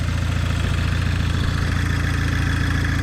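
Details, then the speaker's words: Audi A4 B7 2.0 turbo, 107K miles, after replacing spark plugs and coil packs for misfiring and sputtering from a bad coil: deep, even idle pulse about three and a half beats a second, no skips or shakes; normal idle. "All right, fingers crossed. Sounds much better. That's how it's supposed to sound."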